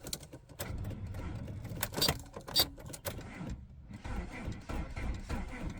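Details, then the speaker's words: 1992 Volvo 460 turbo, first start attempt after engine removal and manifold gasket change, battery good: key gives a few sharp clicks with no cranking; owner suspects the ignition system or switch, or bad contact, not confirmed. "I think there is a problem with the ignition system because if I uh so if I try and start it it'll click"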